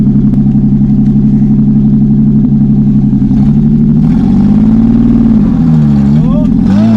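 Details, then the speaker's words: Abandoned Dodge D5N farm truck, sitting over 25 years, first drive on dry-rotted tyres: engine pulls steadily with a low humming drone rising and falling with speed; source of the hum unknown. "success what was that freaking humming noise I'm a bit scared"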